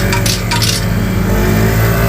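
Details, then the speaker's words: Honda Vario 125 scooter: short bursts of loose metallic clatter over the engine drone from the muffler, worse over bumps and speed humps; a foreign object rattling inside the exhaust. "Oke, bunyinya sudah terdengar di area knalpot dan ini sangat benar-benar risih sekali apabila kita kendarai ya, Guys."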